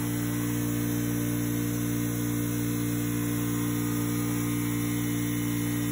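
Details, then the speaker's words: Craftsman 919.165200 5hp oil-free air compressor after capacitor replacement and 220v wiring corrected: steady deep electric hum with buzz, no rattles or stalling; cycled about six times, not getting hot, pressure switch cutting off just over 100 psi; normal motor run. "okay well just finished draining the tank it cycled on and off about a half dozen times didn't seem to really be getting hot and the switch was kicking it off just just over 100 psi regularly"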